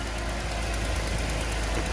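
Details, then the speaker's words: Mercedes W124 with M103 petrol engine, starts instantly, idling with a light, quick ticking over the low hum; failed exhaust manifold gasket showing carbon traces. "The ticking noise that you can hear from this engine is a failed exhaust gasket. You can clearly see that with carbon traces coming out of it."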